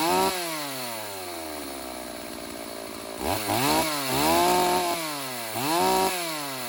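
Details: Older Stihl AV 028 Woodboss chainsaw after fixing lean bogging with a new fuel line and filter, carb roughly dialed in: fires up crisp and blips up and down cleanly with no bog or hesitation.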